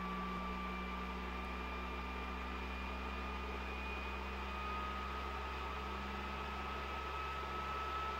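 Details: PS4 Pro CUH-7016B before cleaning, in the multiplayer menu: a loud steady jet-like whoosh with a high whine, about 60 dB. The fan is racing from heavy dust on the heatsink and dried thermal paste.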